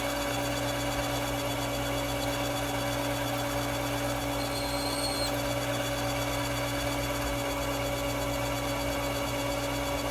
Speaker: So when we turn this machine on, it's going to be kind of loud.